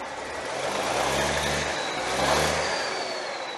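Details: Cummins 855 Big Cam IV NTC 350 diesel after an in-frame overhaul, second fire-up after fixing a leak: smooth, even rumble that swells and settles, no knocks or misses; normal idle.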